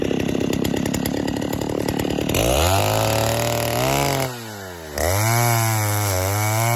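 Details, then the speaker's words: 1960s Stihl 08S two-stroke chainsaw, about 60 cc, cutting firewood with extra fuel on high jet: full-throttle scream sags, wavers and briefly bogs in the cut, lagging; over-rich high-speed mixture, so owner eased it off. "I gave it a little more fuel on the high jet. You cut for a bit, and then you could tell that it kind of started to lag a little bit. So I eased it off."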